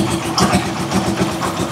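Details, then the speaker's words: Rusi Chariot 175 trike after oil change to Bajaj oil, no longer rough-sounding like with the old oil: steady, even low putter at idle with no knock or rattle; quiet normal idle. "So hindi na siya katulad kanina nag-aral-gal yung tunog. Ngayon talagang napakatahimik niya na."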